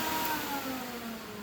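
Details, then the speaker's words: Workhorse chassis auxiliary cooling fans forced on via an IPA 9036-1 relay bypass switch; quiet, steady whooshing whir at constant speed with no rattle or scraping; normal fan operation. "know it's kind of noisy all right so I'm gonna flip on the switch I'm gonna go back inside and show you how much air is blowing out I was really surprised how much air alone those fans can kick out"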